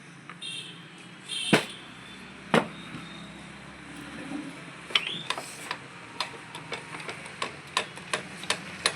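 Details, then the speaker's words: Mahindra Scorpio alternator, turned by hand: sharp dry ticks two to three a second from a worn alternator bearing with a lot of play, before repair. "खंड खंड टाइप में इसका ये बेयरिंग ख़राब है। ये आप देख सकते हैं कितनी प्ले है। और ये साउंड बना"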